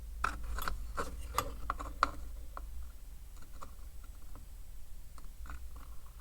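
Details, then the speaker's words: Renault Scenic II parking brake module on bench: double relay with overheated, burnt connection, cleaned, clicks irregularly over low hum and still switches but needs replacing. "This is a double relay, and on this connection here something got hot and it burned out. I clean it, it still works. There for you to see. You can hear it clicking."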